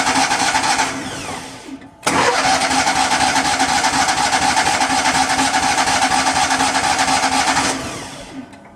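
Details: Miller Bobcat 250 welder, gasoline engine, 34.1 hours, sat since July, January cold start attempt: long steady starter cranking about two beats a second with no firing, then winding down; cranks but won't start, cause unknown.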